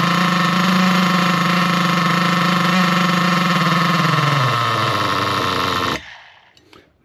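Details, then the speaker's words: Nitro RC car engine screams at high RPM with wheels spinning as the low-speed needle is leaned in; the pitch then sags and the engine quits and won't restart. Lean mixture causing stall. "You saw the um wheels start spinning and as I leaned it in even more, the engine just quit. It wouldn't start then, guys."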